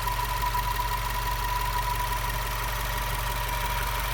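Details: Subaru WRX at idle: thin steady high-pitched whine over a calm idle throughout, likely an accessory or belt-driven part; source undetermined.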